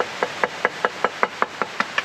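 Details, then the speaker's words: Cracked part on a car being upgraded, tapped after the crack repair. About ten light taps each give a clear bright ring with no dull buzz, passing the knock test: clean ring on tap test. "right oh good as new passes the knock test"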